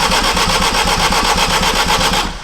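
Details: Acura RSX AWD turbo build, first start attempt on base ECU tune, two fuel pumps, dropping-voltage issue: fast even starter churning about nine beats a second with no catch; cranks but won't start, fuel smelt, cause unconfirmed.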